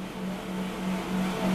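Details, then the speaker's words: Alex PID White espresso machine at first switch-on, its rotary pump drawing water: a smooth, steady low hum at one even pitch, gently rising in level, with no rattle. A very quiet, healthy rotary pump. "Jadi rotary pumpnya Izo nih, rotary pumpnya Alex PID dan Alex Duetto tuh sangat-sangat silent suaranya, halus banget."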